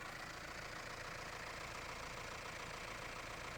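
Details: Mahindra Roxor turbo diesel idling after a Dirt Legal intake retaining bracket was fitted to stop boost leaks: a quiet, even clatter of about three and a half beats a second with no hiss. No leaks were found; healthy idle.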